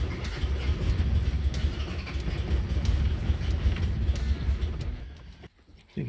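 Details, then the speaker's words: 1977 Toyota Celica GT with rebuilt Weber 32/36 carburetor, after old diaphragm removed and sediment cleaned: low uneven rumble wavers about five seconds then dies; won't hold idle, owner suspects a remaining fuel issue. "i still have a fuel issue i don't know how to look into it so i will let you guys know"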